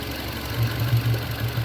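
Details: 2020 Hyundai Santro at 890 km with the check-engine light on: lumpy, uneven idle with irregular low thuds and dropouts; misfire from a failed head gasket, coolant mixed into the oil and water in the exhaust.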